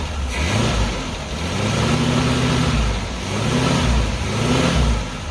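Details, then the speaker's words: 1978 Chevy Malibu V6, parked since 2002, put in gear to test the automatic transmission: the engine swells and falls about every two seconds but never loads down. There is no movement; transmission fluid is used up and needs topping off. "Oh, it's trying to go. Let's check this again. Oh yeah, I think she's used up all the fluid. So we might have to add a little fluid on the tranny here."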